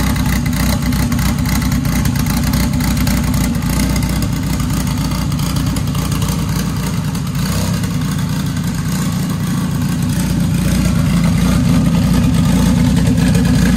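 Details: Dodge Caliber SRT4 four-cylinder just after Precision 6266 turbo install with coated manifold and new gasket, first start, warming at idle: loud steady idle, even beat, slight rev rise near the end, no misses or knocks; new tune still needed.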